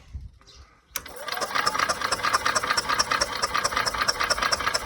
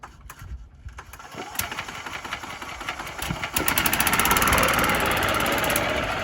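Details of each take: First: Yamaha golf cart that sat 6–7 years, on a small temporary battery, in neutral: the starter spins the engine steadily, a bit over two turns per second, but it never fires. Raw gas is smelled afterward; the owner next cleans the carburetor bowl. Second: Yamaha golf cart revived after sitting 6–7 years, driven home: small single-cylinder engine thumps at a steady beat under wind and road rush, pulling evenly without stumbling. Normal running under load.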